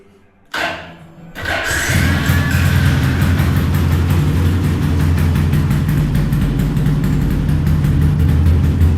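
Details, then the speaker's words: Motorcycle converted to fuel injection (ECU and wiring hung in place), set up for daily use, not racing: starter whir, quick catch, then an even thudding idle around four pulses a second, no ticking; quiet, healthy single; normal start and idle. "Tapi setup bukan untuk racing, memang betul-betul full untuk daily. Dan engine pun senyap."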